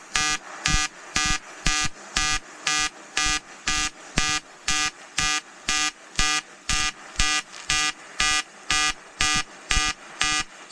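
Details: EWM Tetrix XQ 230 Puls AC/DC Expert 3.0 pulsed AC TIG on 5000-series aluminium with 2.4 mm 2% lanthanated tungsten and 2 mm filler: a bright, buzzy arc swelling and dropping about twice a second, steady and even; a normal pulsed AC arc.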